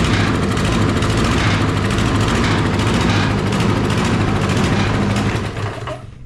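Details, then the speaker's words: Toro 22-inch Recycler 20332 mower with a Briggs & Stratton Quantum auto-choke engine, brought in because it barely runs. It chugs unevenly, surging and stumbling before dying. Cause not yet found; governor vane, springs and air filter are to be checked. "hey well he's not lying it'll barely run goodness gracious alive we got a sick pup"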